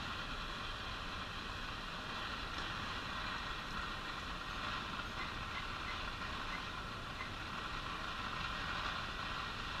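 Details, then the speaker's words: Arvin 402A tube radio being powered up around 65 volts after a 50L6 tube with open filaments was replaced. It picks up a station under constant hiss, crackle and faint tones. The noise is suspected to come from bad capacitors and possibly resistors, not confirmed. "okay we're pulling in a station here lot of noise and static though that's probably just the bad caps and who knows how the resistors are as well"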